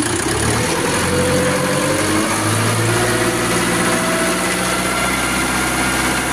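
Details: Quanchai engine that stalled from alternator overcharging (15–16 V, faulty voltage regulator), after alternator replacement and codes cleared: steady, even high-rpm roar with no misses, knocks or surging; problem solved.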